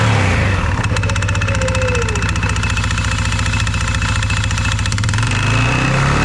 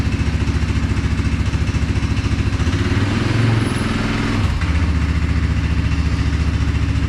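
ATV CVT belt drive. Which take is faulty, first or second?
first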